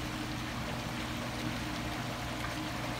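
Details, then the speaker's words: Water pump mounted above the water line with no check valve on the inlet: steady low motor hum with only a faint trickle; the pump runs but can't prime or draw water up. Fix is a check valve and filling the line. "but no water because the pump is trying to prime the water in and it's too quick to do that the water cannot go up the pump is running you can hear the sound but no water"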